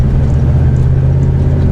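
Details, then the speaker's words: Over-20-year-old truck with 6.5 diesel cruising toward Burns, Oregon, without overdrive after long desert trip: deep even low drone, steady rumble, no knocks or whine; tends to run hot on hills, otherwise healthy and quiet. "I like the way this sounds. It's nice. The 6.5 is not very loud at all."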